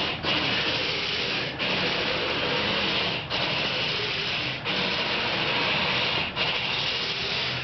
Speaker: Somebody left their windshield wipers on.